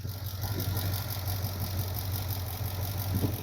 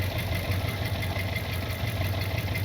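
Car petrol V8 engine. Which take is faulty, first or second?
first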